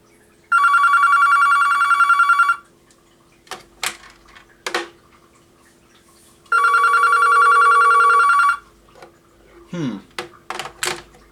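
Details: Vintage two-line Panasonic KX-TS25-W telephone tested on line 2. Two even trilling electronic ring bursts, each about two seconds, spaced about six seconds apart: normal ringer.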